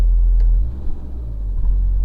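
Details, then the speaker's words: 2011 Fiat 500 1.2 Lounge, Copart salvage car, after clearing codes: revs sag and surge unevenly when blipped, low rumble turns lumpy instead of climbing smoothly; owner suspects a faulty sensor, not confirmed. "now it's lumpy but obviously that is if that sensor is knackered i don't know why all of a sudden it's i've cleared the cleared the codes and it's done that"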